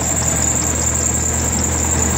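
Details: 1992 Chevrolet S10 2.5 fuel-injected Iron Duke four-cylinder, 164,689 original miles: steady even idle after revving, smooth low hum, no knocking or stumbling; runs healthy.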